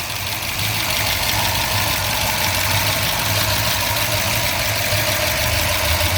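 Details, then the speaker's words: 1970 Ford Mustang Mach 1 with freshly built V8, solid lifters and mild cam, just started: lumpy, slightly shaky idle with light, fast, even ticking on top; normal solid-lifter valvetrain noise. "Seems to run really well. Like I said, you can hear those solid lifters."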